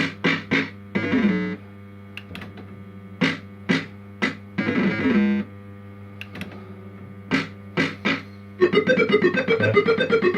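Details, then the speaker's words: Properly working System 80 sound board on a second machine, heard for comparison with one whose sound chip is suspected of failing when warm: clean, crisp tunes and jingles with no crackle or distortion; normal sound output. "So that's how it should sound. Nice and crisp. So that's perfect."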